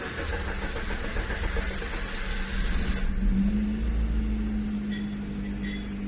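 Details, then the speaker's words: 2014–2017 Maruti Swift Dzire petrol, cold morning start: long, labored cranking before it catches into a steady idle; hard cold start blamed on faulty fuel injectors, with injector replacement as the fix. "ഒരു shift desire petrol കാറാണ് ഇത് നമ്മൾ രാവിലെ start ചെയ്യുമ്പോൾ ഒത്തിരി lag ആയി delay ആയി start ആകുന്നുണ്ട് ലോങ്ങ് റാങ്ക് അടിച്ചാണ് സ്റ്റാർട്ട് ആകുന്നത്"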